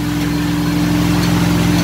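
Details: 1967 Mustang with ATK crate 302 V8 (replacing straight six), second cam break-in session, no load at 2000-2500 RPM, recorded from back of shop: strong even drone, no knocks, misses or ticks.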